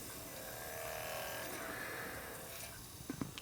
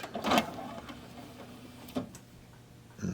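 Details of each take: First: Apex AD-1500 DVD player after readjusting the laser and fixing weak power supply output, drive plugged in: soft, even whirr of the disc spinning normally with better speed, a few light clicks near the end. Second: Apex AD-1500 DVD player with intermittent tray fault: faint motor whir with clicks at start and stop as tray slides out and stays open; fault not showing this time, cause unconfirmed.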